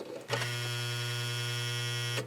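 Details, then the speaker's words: 8mm film projector with its mechanism locked up: when plugged in, the seized motor gives a steady low buzzy electrical hum with no rotation and gets very hot. "right now this is locked up and if when i plug it in it just hums in other words the motor gets very very hot i'll plug it in very briefly here"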